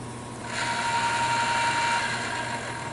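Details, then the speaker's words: Woodward bead roller newly fitted with a power feed motor, no guards; thin whirring tone dies away about a second after switch-off as the drive rolls on a little, owner unsure if it coasts under load. "It rolls just a little bit, so I'm hoping it's not going to do that."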